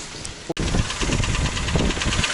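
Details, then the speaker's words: Toyota Rush 3SZ-VE engine, about 72,000 km indicated: irregular dull knocking under the running note, piston slap on piston reversal. "Вот получается 3D двигатель стук поршней на перекладке"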